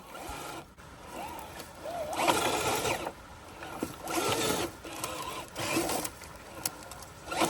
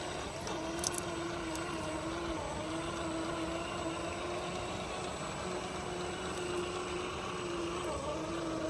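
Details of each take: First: FMS 1/10 K5 Blazer FCX10 RC crawler, stuck in a bad spot on a steep climb: bursts of motor drive under heavy load with a thin wavering slipper clutch whine over the gears. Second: FMS FCX10 1/10 K5 Blazer RC crawler on the trail: soft, steady motor hum at even pitch over running water, no clicks or grinding; drivetrain is very quiet and healthy.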